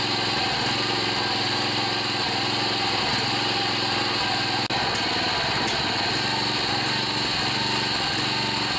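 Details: John Deere 14PB push mower with Kawasaki 5.0 hp OHV engine, after carburetor clean and rebuild with plugged slow and main jets cleared; runs at steady even speed, constant buzzy note, no misses or surging. Normal running after repair.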